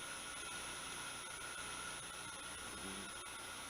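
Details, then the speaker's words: Hui Chang VHM milling machine, 1hp two-speed 3-phase vertical spindle motor retrofitted with XSY-AT1 VFD, running at 60 Hz baseline; quiet even hum with faint steady drive whine, no roughness — normal spindle running. "let's go ahead and run this thing as you can hear um the motor is like kitten"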